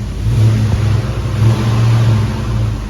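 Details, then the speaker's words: Hemi-swapped Grand Wagoneer V8 after the fix, where suspected exhaust leaks were actually misses: revved up, the deep rumble swells and eases with no stumbling or stalling, normal and healthy. "All right, the big test is gonna be revving it up. See if it wants to die. Oh, we're golden, son. We are golden."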